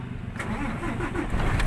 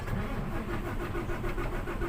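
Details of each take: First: Fuso Super Great truck, 6M70 diesel, with low power and hard starting: heavy diesel cranks briefly, then catches and settles into a rough, low, slightly unsettled idle, engine start. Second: Fuso Super Great 6M70 truck diesel with low power cranks with an even, fairly quick churning rhythm but never catches and runs on its own: hard starting, cause suspected, not confirmed.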